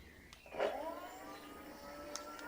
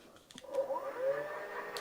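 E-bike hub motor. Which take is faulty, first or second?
second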